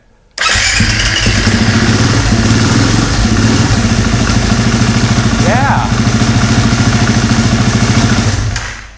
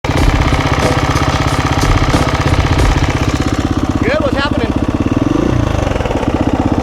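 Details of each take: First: KTM single-cylinder dirt bike after replacing a failed timing chain tensioner: starts right up and settles into a steady, even idle, quiet from startup with no ticking, before oil pressure even builds. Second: KTM single-cylinder dirt bike idling with a fast, dry ticking rattle over the exhaust, also very loud at startup: slack timing chain from a failed aftermarket tensioner whose internal pawl was improperly heat treated; clutch weight checked fine.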